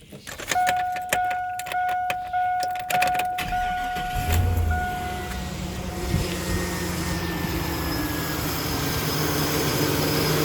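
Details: Chevrolet Silverado/GMC Sierra V8 (4.8/5.3/6.0, 1999-2006): door chime and clicks, then start and smooth even idle without lifter tick after topping up low engine oil.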